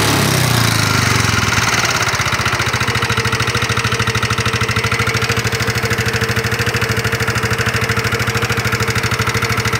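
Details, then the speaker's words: 2019 Yamaha NMAX single-cylinder scooter idling rough with steady ticking about 2.5 per second; mechanic's check points to a worn, loose connecting rod (stang seher), with loose valve clearance also considered. "fix ada masalah pada stang sehernya stang sehernya sudah mengalami keausan sudah mengalami kerusakan menyebabkan stang seher menjadi goyang dan oblak menyebabkan motor menjadi suaranya kasar pada saat motor di jalan dinyalakan"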